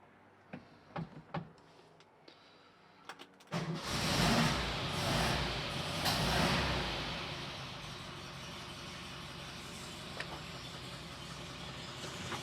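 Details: Porsche 356 on a 6V ignition system, after no-start troubleshooting with the coil wire refitted: a few clicks and clunks, then it catches at once and settles into a steady, even idle; normal start, timing possibly slightly retarded.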